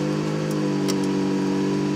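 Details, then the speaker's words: Toyota Camry that came in as a crank-no-start, running after a failed cheap aftermarket fuel pump was replaced with a used OEM pump. Smooth, even hum with no knocks or misses: normal running. "All right, the big moment of truth here. Oh, okay, good. She's latched. The keys are in it. Let me give it the old reach up. Hooray! The old beast runs."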